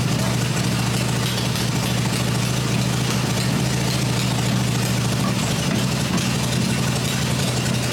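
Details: Freshly rebuilt black Harley Evo V-twin motor idling on an engine test stand with open exhaust: deep, even low rumble without hunting or missing; running the way it should.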